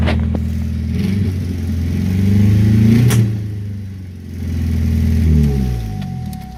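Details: Deep, raspy exhaust swelling with each throttle blip and settling back from a 2002 Cavalier with the muffler cut out; loud open exhaust.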